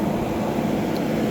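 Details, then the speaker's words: 2012 Frigidaire 8,000 BTU window AC, model LRA087AT7, dirty after sitting outside, set to 60 with the compressor on. Even whoosh of fan air over a low compressor hum, no rattles or surging; cold air at the front. Normal running. "We have a decent amount of airflow come out of the front um of the back side though. Could be a little better."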